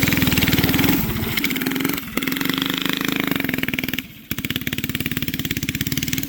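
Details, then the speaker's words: Barn-find race go-kart with an original flathead Briggs & Stratton that once ran alcohol, now on E85 after sitting 30+ years; the single thumps along, then revs sag and stumble twice before recovering, bogging. Carburetor issues suspected. "We're having carburetor issues, with honestly, it's no shocker. The thing's been sitting for a while and I'm impatient."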